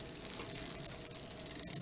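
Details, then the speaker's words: New SRAM NX 11-speed rear derailleur on a Kona Kahuna DL, after indexing adjustment: fast, fine freehub ticking that speeds up, with the chain running quietly and no grinding or skipping. Smooth indexed shifting. "Then we go backwards to shifting to the larger gears and make sure that the downshift, or this shifting down to the smaller cogs, is working smoothly as well. And this one seems to be quite fine now."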